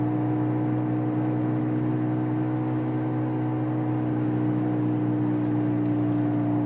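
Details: 2003 Honda Civic cruising at constant speed. A steady whir hums over the road noise. The noise gets louder and faster as speed increases, regardless of gear. Cause unknown.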